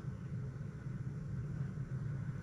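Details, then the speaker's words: L98-engined Patrol build before first start, key on, fuel pump disconnected from the rail to check delivery. Steady low hum of the in-tank pump priming with the engine off; normal fuel pump priming. "I'm just going to turn the ignition on and see if it comes out this end like it should. Then plug it on and start it. You can hear the pump."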